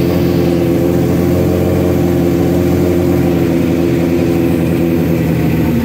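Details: Suzuki GS1100E Mr. Turbo motorcycle, first start in 24 years after chain, brakes and tank work, a shot of starter fluid and choke on: strong even multi-cylinder rumble, no knocks or misses; sounds fine, jetting still to be set on dyno.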